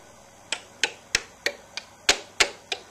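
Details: DUO 14 Premium 2-bit relay computer executing a final conditional write command: crisp sharp relay clicks about three a second, slightly uneven, quiet room; normal switching.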